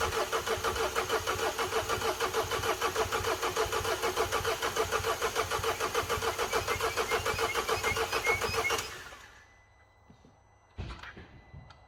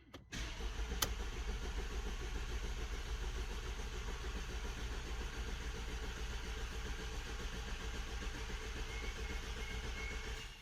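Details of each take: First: Mercedes W212 after timing chain job, fuel system primed, jump pack connected: strong, even cranking for about nine seconds without catching, pump audible; suspected fuel airlock, later starts after repeated priming. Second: Mercedes W212 diesel after timing chain job, started on a jump pack after priming fuel to clear an airlock: catches and settles into a steady, even idle with no misfire or stumble; running fine.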